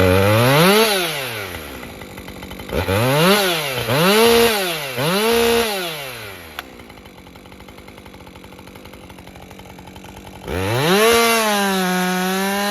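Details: Husqvarna 550 XP Mark II chainsaw, earlier bogging with a wet plug, hot restart at full temperature; it fires and revs cleanly several times, settles to a steady idle, then returns to full speed, with slight smoke. Normal running.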